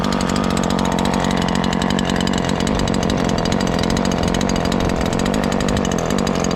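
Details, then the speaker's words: Ported Husqvarna 543XP chainsaw after leaning the main jet slightly, cover off: full-throttle dense buzzing rasp with a slightly burbly, uneven edge; still running rich and four-stroking, nearly tuned. "Even with it being way rich, I like how the saw feels."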